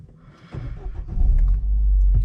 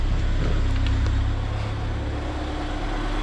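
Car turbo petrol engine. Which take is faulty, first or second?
first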